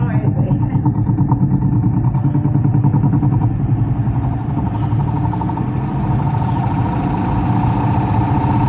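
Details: Heat pump with electric heat reported for loud noises, top panel removed: loud steady low rumble with a rough flutter that never settles while the blower runs; sounds like trouble with the fan motor.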